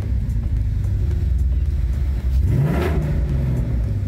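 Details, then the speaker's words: Coyote-swapped Ford F150 V8 after a remote HPTuners tune and sorting a MAF sensor issue. On a throttle blip the deep steady burble rises and falls cleanly with no stumble; it is now running much better, with normal throttle response. "it's running so much better. it's funny how a simple thing like a maf sensor can affect the entire engine right Ryan?"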